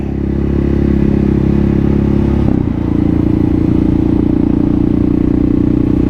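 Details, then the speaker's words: Kawasaki KLR650 single, rebuilt project bike, fully warmed up, riding with wrapped exhaust: thumps hard and evenly up through high rpm under load with no stutter, stumble or misfire; runs clean. "bit woo it doesn't even stutter at high RPMs so that's after being completely warmed [Music] up"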